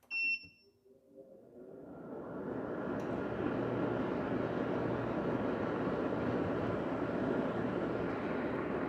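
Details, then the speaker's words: BaseAire AirWerx 55 dehumidifier (4.1 A; fan about 130 CFM) at initial startup via the power button. Beeps, then the compressor kicks on and a steady low hum with even airflow builds. Very quiet, normal running. "regardless of that the overall unit in my opinion is very quiet it seems to be running very quiet I can hear the compressor humming along"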